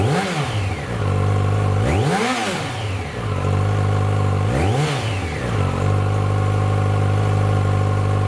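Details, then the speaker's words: 2006 Yamaha FZ1-N on the fully stock exhaust, before the slip-on swap: three clean blips rise sharply and fall back to a steady idle with no misfire or rattle. Free revving to about 7,000 rpm; normal. "So that was just free revving up to about 7,000 RPM."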